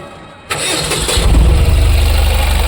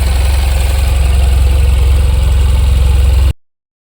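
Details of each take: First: Tata BS6 petrol engine (tampered with, under repair) after swapping a relay: the starter whirs briefly, then the engine catches and idles roughly with an uneven low throb, and it keeps stalling repeatedly. The fuel pump is not powered. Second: Tata BS6 petrol engine, held running to warm up for a radiator fan check: steady, even low thrum with a smooth regular pulse, no misses, knocks or rattles; normal stable idle.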